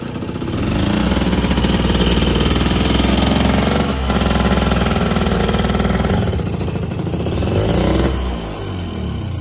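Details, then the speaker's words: Two-stroke tuk-tuk, carb likely needing adjustment to tick over: uneven, lumpy running that surges and falters, then stalls, won't hold a steady tickover; cause suspected, not confirmed. "Although it does run, it runs lumpy, it stalls, it doesn't real"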